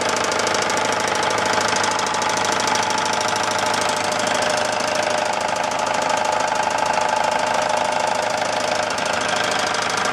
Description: Atomic 4 knocking sound. Anyone have any ideas what might be causing it? Tell me it's not the head gasket....